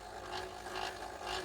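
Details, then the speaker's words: Ferguson 3V32 (JVC HR7655) long-play VHS deck from 1983, unused for a long time, in fast forward: a faint whirring rub that swells and fades about twice a second, from a worn, slipping idler; the loading belt also needs replacing. "so there's definitely a problem with that idler i do need to replace the belt on here as well"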